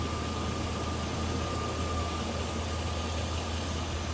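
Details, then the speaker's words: 2000 Chevrolet Silverado 2500HD extended cab 4x4, Vortec 6.0 L V8, 74,339 miles, hood open: even, unbroken idle with a steady low drone and faint belt hum, no knocks, misses or ticking; sounds good. "It's amazing. It looks like it's new underneath there. Looks good, sounds good."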